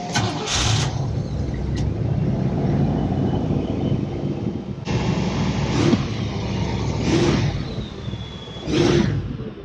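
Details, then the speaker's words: 1990 Cadillac Brougham, revived after sitting 10 years, new power steering belt fitted, not yet warm: quick catch then steady slightly high idle with no knocks or squeals; normal start and cold fast idle. "a little high that's because it's got to get up temperature I haven't ran in a little bit besides to pull it here and it was idling about that high sounds good"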